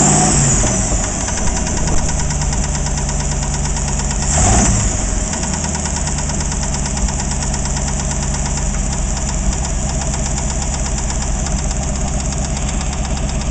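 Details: AMC 360 V8 at rough idle: an uneven knocking rattle over a heavy low rumble, which began after overheating; the old oil is wet with no sign of metal shavings.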